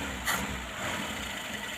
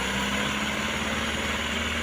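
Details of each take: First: Old petrol Mitsubishi L300 with carburetor, revived after about two years unused; fuel lines checked and reconnected, some sputtering earlier from an uncleaned fuel filter; now a steady, even idle with a soft, smooth beat and no misses or hunting. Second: Old petrol Mitsubishi L300 that sat about two years, primed with petrol: it runs with a steady roar only while held on throttle and dies when the throttle is released; dirty or flooding carburettor suspected.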